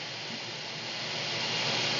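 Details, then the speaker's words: AC air handler blower after the capacitor was tested and the panel refitted, cooling switched on at the Nest thermostat: steady even rush of air building as the blower comes up to speed, no rattle or scraping; working normally. "All right, I've turned on the cooling, and I'm waiting for the fan to turn on. I can hear it churning away."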